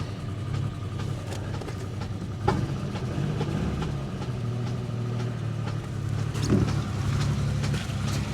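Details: Pontiac G8 GT V8 listed as a non-runner, idling on a jump pack in snow: light quick ticking over a steady rough idle, an upper-end tap rather than bottom-end knock.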